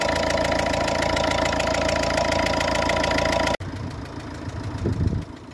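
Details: Ford Fiesta Mk6 1.4 L diesel at idle: rhythmic chuff about four times a second riding over the clatter; compression leaking past a compromised copper injector sealing washer; injector seal compression leak.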